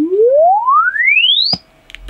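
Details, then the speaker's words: Alto TS310 2000W active speaker, repaired after no-bass fault, plays a clean sweep oscillator tone gliding smoothly low to high; full frequency sweep normal, fault was the amp not the driver. "look at that happy as it was the amp and not the actual driver itself so that's that's a cheaper fix"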